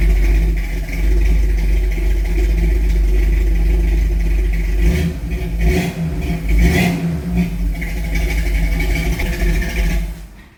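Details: 1969 Pontiac Firebird V8 in for a fuel vacuum issue, with a very old fuel pump, catches and revs with a deep even rumble and settles cleanly; no knock or miss.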